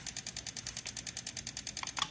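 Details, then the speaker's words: 1968 Honda CL175 converted to supercharged fuel injection on E85, with the ECU in injector test mode and the fuel pump on. The injector had been stuck closed and was tapped free. Crisp, even ticking at about nine clicks per second shows it now pulses freely. "So you can definitely hear it. But that makes me think that the other one isn't fully opening as well, because when we tested these in the last video, you could not hear them on camera. They're really, really quiet."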